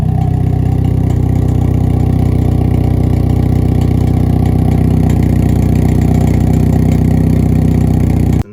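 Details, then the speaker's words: 2022 Hyundai Elantra N at 31,000 miles idling with a fast, steady metallic rattle from the active exhaust valve, which started two days ago; weak valve spring, fixed by an upgraded spring. "so I'm at 31,000 Mi right now and just like two days ago I started hearing rattling coming from the exhaust"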